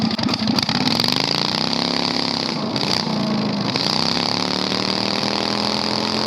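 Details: 670cc Predator V-twin go-kart, revived after sitting months with carburetor problems, driven without muffler: very loud, harsh open bark swelling and dipping with throttle; excessively loud unmuffled exhaust.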